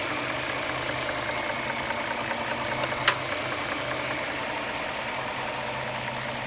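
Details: 2009 Dodge Charger 3.5L V6 at idle: light, fast steady ticking with an occasional sharp ping, noticed over roughly the last 6000 km. An air device cuts in and causes a 10-second whine at shutoff. Cause undetermined.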